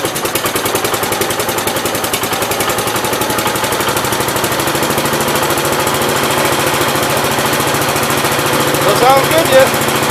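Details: 1969 Gravely 432 single-cylinder engine cold-started at about 15°F, transmission oil topped off, small fuel leak at fuel pump: even, steady chugging that settles with no knocks or misses, a little smoke; running healthy.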